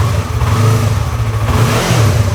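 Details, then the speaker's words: Yamaha R3 (stolen then recovered) running again after engine case cover replacement, old oil still in, excess radiator fluid burning off as smoke: steady, even low engine note, no knocks or rattles; normal running. "But I mean, the fact that she's running again is really something. It's amazing."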